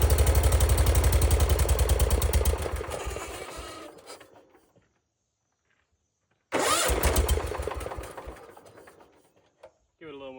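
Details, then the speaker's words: Circa-1974 John Deere 140 garden tractor, single-cylinder, first start with new oil, fuel and filter on choke; catches with even rapid pulses, dies and restarts, no knocking; healthy, but carburetor bowl gasket leaking. "Well, it doesn't knock or anything, but that car bowl is leaking."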